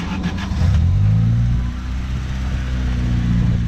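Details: Honda D16Z6 just rebuilt after bad rings caused heavy smoking: low, steady idle with a brief rev blip, even and free of knocks or tapping, no smoke; normal idle.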